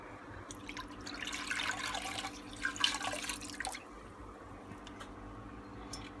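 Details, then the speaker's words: Bosch Exxcel 1400 washing machine stuck at one minute and not draining, on a 20-minute rinse and freshen-up cycle: quiet hiss of water running in with light splashing and trickling as it takes on water via the pre-wash side; normal fill. "that sounds like we're taking on water and then the pre-wash side so I'll leave that to see what happens"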